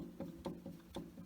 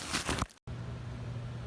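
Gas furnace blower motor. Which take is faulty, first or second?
first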